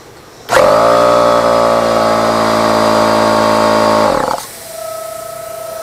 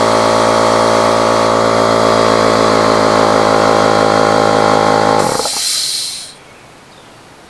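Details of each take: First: Husky H1301F air compressor: motor hums steadily about four seconds and shuts off, then a thin steady whistle of air leaking at the regulator; water inside, to be cleaned and given a new O-ring. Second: Husky air compressor model H1301F after repair, regulator readjusted, hose not leaking; steady, even motor-and-pump drone at constant pitch for five seconds, then shutoff and a brief hiss; running properly.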